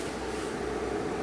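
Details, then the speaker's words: Solar inverter set to charge the battery bank from grid and solar simultaneously; under the charging load its cooling fan kicks up to a steady airy rush with a faint mid tone, running normally. "look at that guy kick up you hear the fan kicking up"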